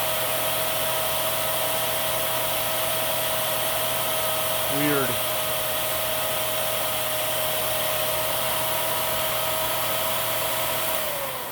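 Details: Miele Swing H1 (Quick Step) upright/stick vacuum, airflow test on high through a 35-to-32 reducer: steady high-pitched whine holding one pitch, dipping briefly mid-run, then winding down; airflow lower than the tester expected. Normal running.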